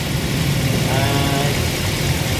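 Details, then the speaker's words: Ford Focus after repair of a no-crank, no-start ECM and wiring fault. An even, steady idle with a smooth low rumble and no misses or knocks: the engine runs normally. "Ah ito napaandar na namin ang ano Ford Focus"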